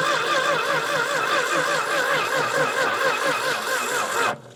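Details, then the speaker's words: 1965 Dodge Dart 318 V8 four-speed that sat many years: the starter drags the engine over slowly in a labored, wavering rhythm and it never catches. Battery cables were flipped to tighten them; it ran after the battery was replaced. Weak battery. "I know this battery's not dead whoa little trick is if you flip the battery cables over they'll get tighter cuz they're tapered"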